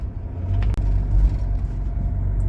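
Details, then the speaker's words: Mitsubishi Pajero Full driveline with a single sharp clunk from the rear on throttle-on and throttle-off, over a low rumble; suspected to be a loose nut at the end of the rear axle shaft needing tightening. "Acelera, faz esse barulho. Tira o pé, faz esse barulho."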